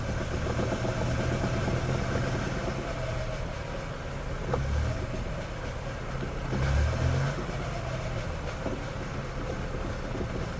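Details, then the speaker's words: Geo Metro idling in gear with the front wheels spinning off the ground: uneven repeating knock under the steady hum, felt through the floorboard, varies with wheel speed and also occurs in neutral, seems one-sided; axles or brakes suspected; drivetrain knocking. "it's not as even now as it is on the road but I'm still hearing that same sort of Knockin I can feel it through the floorboard"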